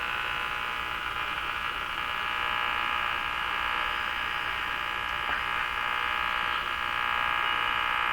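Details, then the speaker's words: Radio on restricted power (about 105 V), being tuned across stations after IF alignment with a BK 3030 sweep generator. Steady harsh pulsing buzz drowns the stations; the interference source is unknown. "Totally wiped out from whatever that noise is we're hearing."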